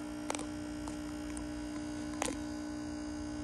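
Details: Eico HF-81 6BQ5 tube amplifier before repair: loud steady transformer hum, caused by one of two tube rectifiers and first-stage filter capacitor left disconnected from a kit assembly error; fixed with a small bridge, transformer then silent.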